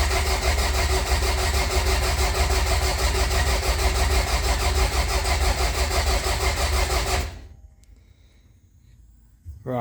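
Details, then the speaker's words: Toyota Celica GT-Four ST185 with a 5SGTE Beams engine, cranked without starting to build oil pressure after final assembly: strong, even starter churn at about three compressions a second, faster after a loose battery terminal was tightened; normal cranking. "the motor was cranking over pretty slow so I checked the battery terminal and it was a bit loose I tightened it up so now it should crank over a bit faster"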